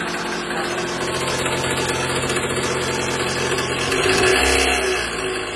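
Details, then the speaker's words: 2012 Toyota Alphard ANH20 2AZ engine, about 74,000 km, cold start: harsh rough clatter about four beats a second over idle, swelling with revs, fading once warm; broken balancer shaft gear, fragments found in oil strainer. "jadi di mobil alpard ini ada keluhan trouble suara sangat kasar di bagian mesin yang bunyinya itu muncul ketika awal mesin hidup kalau mesinnya udah panas ini bunyinya cenderung berkurang dan hilang"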